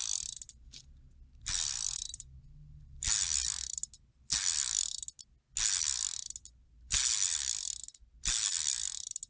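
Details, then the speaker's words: Chinese screw-on Shimano-style 7-speed bicycle freewheel after teardown, lube and reassembly, spun by hand: fast, even, high-pitched ratchet clicking fading smoothly, balls audible; quiet, healthy freewheel. "it's not noisy it's quiet let's listen you can even hear the balls running"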